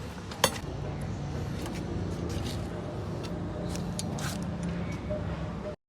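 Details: Suzuki Mehran petrol engine at idle, quiet and even hum with no tapping or ticking, a few stray clinks nearby; engine sounds healthy.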